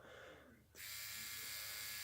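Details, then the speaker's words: Cheap Dragonfly-replica rotary tattoo machine with no rubber bands, run at 6 volts. It starts with a steady, even, high-pitched whirr and holds it with no rattle or knocking, running quiet and smooth. "Alright, let's listen to this little guy run. He's quiet as a mouse,"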